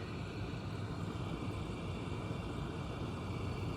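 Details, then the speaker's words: Miele G7392SCVi dishwasher (AutoDos, new install) on Auto programme near cycle end, drying phase: quiet even hum of the drying fan, no rattles, normal; door then auto-opens. "The dishwasher's drying now. There's a slight fan noise you can hear."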